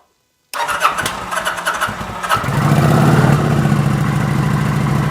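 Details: 2009 Kawasaki VN900 Classic, 900 cc fuel-injected liquid-cooled V-twin that sat a season and wouldn't start: cranks a couple of seconds, catches, settles into a steady, even-firing idle without misfires; runs healthy.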